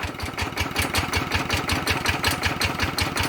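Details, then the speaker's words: Walk-behind farm tractor single-cylinder diesel, ET80 upgraded to 90 with all-new bearings, on Cosmo frame, just reassembled: even, steady fast thumping idle with no misses or knocks; quiet, smooth, healthy normal idle. "ก็ตัวนี้นะครับนับเป็นนาที90นะครับก็ฟังเสียงก็โอเคเงียบแป๊บนิ่มมีครับ"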